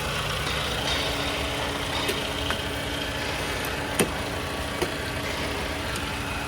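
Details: Toyota Camry with the 2AR-FE engine, in a case of front-of-engine noise traced to a faulty water pump: a quiet, smooth idle with no whine or rattle from the front, just a few handling clicks. The engine sounds healthy.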